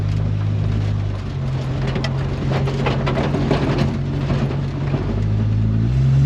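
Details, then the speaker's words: 1946 Studebaker M5 pickup with 1970–81 Camaro front subframe and disc brakes, test drive after fitting new Performance Friction pads replacing squealing ones: engine rumble and body rattles over bumps, no squeal when braking; brakes now quiet and stopping well. "oh this is a thousand times better this thing was driving me nuts to the point where i didn't want to drive it it's a thousand times better no noise whatsoever it stops good"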